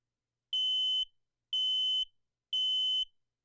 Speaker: when we hear that sound we need to exit the house and call 9-1-1